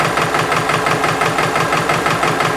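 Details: Subaru engine at idle with a sharp metallic ticking rap in step with engine speed; stethoscope on timing belt tensioner bracket quiet, driver side barely audible, owner suspects passenger-side valve adjustment.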